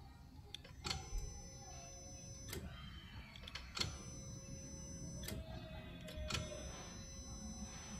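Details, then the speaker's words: Saab 9-3 non-start; live bridged to the engine ECU connector pin, ignition on: quiet, then sharp clicks and brief buzzes as throttle body and EGR actuators cycle. The ECU powers up normally and is probably fine. "so when i put that live to there let's see whether we can hear the engine ecu burst into life"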